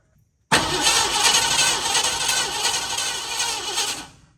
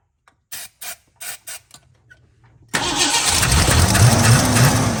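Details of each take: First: Blue dually truck, battery hooked up and key cranked to test the fuel pump: starter turns the engine steadily for a few seconds with little fuel and only a burp, no start; starter solenoid then stuck engaged, so fuel pump replacement is planned. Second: Blue dually truck with carburetor, after fuel pump replacement and a stuck starter solenoid: four quick cranking bursts, a pause, then it catches and settles to a fairly steady idle with a slightly uneven beat; leaks at carburetor bolts: engine starts and runs.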